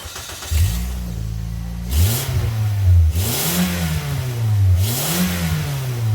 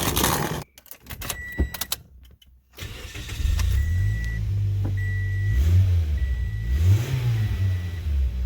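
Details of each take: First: 2008 Toyota Yaris idling and blipped three times: each rev brings a loud raspy, tinny blat from a leaking front exhaust gasket between manifold and downpipe, worn by pipe flex. It gets louder as the car gets hotter. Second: 2008 Toyota Yaris 1.5 L, start after replacing leaking front exhaust gasket: some fumbling, then engine catches into smooth, even idle with chimes, no longer tinny; exhaust leak fixed.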